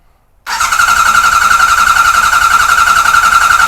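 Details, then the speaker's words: 1978 Kawasaki Z1-R with carbs just installed, coils unplugged and fuel off, cranked only to build oil pressure and shut off the oil light; starter spins steadily with an even whirring whine, no grinding; normal cranking that works. "so let's go ahead and just crank it over and see what we can do I think we can get it up to oil pressure um you know without running it"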